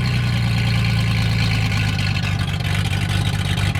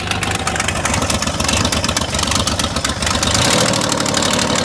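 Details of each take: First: V6 car running loud and strong with a steady low drone and a touch of throttle, firing evenly without stumbling. It sounds angry on one side and has a power steering leak. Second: Engine started after crank angle sensor and harmonic balancer job, battery hooked up in hope of bypassing the immobilizer: loud, harsh idle with an uneven chuffing beat, ragged when revved, sounding angry on one side; running rough, probably misfiring.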